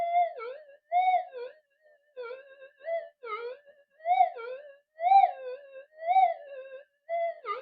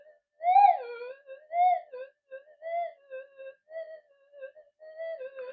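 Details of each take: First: Repaired, previously modified Minelab SD2100 metal detector on channel one, tested with a 0.1 target: warbling tone rising and falling as the target passes, responding properly despite tat-tat background noise. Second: Modified Minelab SD2100 metal detector with variable gain, under repair: threshold warbles and chirps in irregular bursts, noise rising as coil is turned toward the camera; interference pickup worsened by the dual-coil design.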